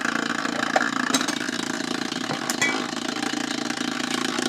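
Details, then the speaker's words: Old kids' phonograph powered up for the first time, with its tube missing; steady fast scratchy rubbing with a fine patter under a dull hum, mechanical rather than from the speaker. The motor is suspected to be rubbing on its bottom bushing, possibly a loose bushing. "It's a motor issue. So like it's rubbing on the bottom bushing."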